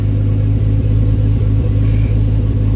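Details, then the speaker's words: R33 Skyline GTST after cleaning gunked idle air control valve, fixing weird idle and maxed-out high AFRs: deep steady low rumble with even beat, no hunting or stumble; smooth, settled normal idle. "all right so it looks like that fixer that was it that's what it was all these high freaking afr readings maxing out weird freaking idle it was just gunked up auto air control sensor"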